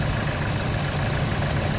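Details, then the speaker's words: Nissan Silvia S13 CA18DET misfiring: a rattly, shaking engine with a low, uneven beat at idle, very lumpy when revved. "when i rev it up very lumpy and clearly misfire"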